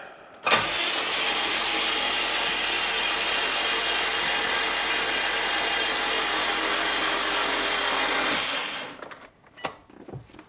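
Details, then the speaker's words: 2003 Subaru Impreza WRX, rebuilt engine just installed and filled with Rotella T6, cranked without spark plugs; even, steady cranking about eight seconds at roughly three turns a second, spins freely, no binding. "so turns over everything sounds good"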